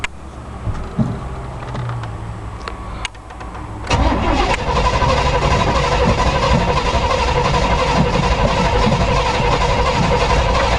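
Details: 1986 Chevrolet K5 Blazer not started for about two weeks: long slow cranking about four seconds, then catches and runs lumpy and uneven on only four cylinders; hard start with misfire.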